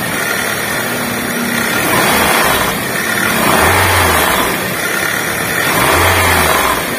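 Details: Honda Jazz VTEC engine blipped up and down, a rough whirring rattle riding on top. Cause: a worn AC compressor pulley bearing leaving the pulley loose.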